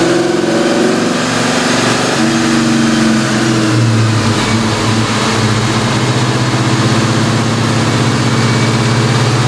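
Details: Ford Mustang New Edge, originally V6, swapped to a Ford Performance Coyote "Aluminator" crate V8 with CobraJet intake, strapped down for dyno tuning: strong, smooth revving, pitch following the throttle cleanly with no knocks or misses. Healthy engine.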